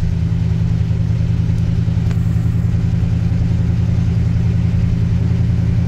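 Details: 1986 Chevy K10 carbureted engine, carb and choke recently tuned, sat about 1.5–2 months in a tarp garage, cold at about -6°F: deep, steady low rumble at an even fast idle, no misses or stumbles; normal cold idle.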